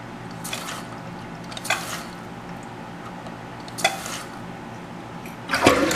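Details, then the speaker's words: American Standard toilet keeps running after fill valve flushed and float adjusted: irregular splashing and trickling over a faint steady hiss as the tank refills. Owner suspects a worn-out fill valve, not confirmed. "See, it's still running. I guess things is fucked up. I'll do that like all the time."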